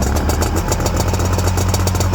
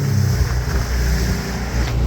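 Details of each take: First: Old Ultranautics Jetstar jet boat being revived, running after fuel line and primer bulb work; steady, even low drone holding pitch, then clean wind-down at shutdown, a healthy idle. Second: Ultranautics Jetstar jet boat engine: idles low and uneven, beat stumbling and dipping as it starts to miss from running short of fuel.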